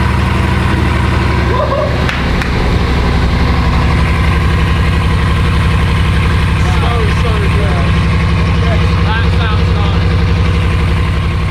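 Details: Repossessed Bugatti Veyron W16, 4 turbos, 16 cylinders, coolant suspected low: loud steady idle with low uneven beat, about four lumps a second not settling; suspected misfire, car won't drive.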